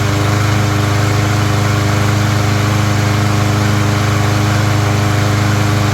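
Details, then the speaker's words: Troy-Bilt mower after its plastic carburetor was cleaned of rusty water and the fuel system flushed, on ethanol-free fuel with no cover or air filter: steady, even low putter with no surging or misses. "there you go. It's that simple. Clean out one of the plastic carburetors, no problem."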